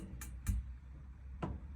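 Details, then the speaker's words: Auto-Trail Cheyenne SE 634 motorhome: dial turned to 2–3, igniter clicking away with a few sharp, quiet, irregular clicks over a low hum while trying to light the pilot; normal igniter operation before the clean blue pilot flame. "Straight away you can hear the igniter is actually running at the moment, so it's clicking away."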